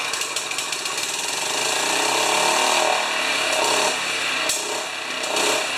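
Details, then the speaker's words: Honda HRA214 self-propelled choke-start mower, previously worked on, after fixing choke and throttle linkage; on starting it surges hard, racing up and down in uneven waves; owner unsure if too much or too little fuel. "So that's the nastiest surge I've seen. Darn it. I don't know if it's getting too much fuel or not enough"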